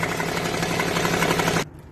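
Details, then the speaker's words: Suzuki Alto engine running: fast metallic chatter from the front, timing chain slapping; oil shortage or chain pulley cover were suspected, but the cause was the timing chain tensioner backed out. "Où étais-je surpris par un bruit étrange à l'intérieur du moteur ? Où ai-je cherché partout la cause de ce bruit, mais en vain ?"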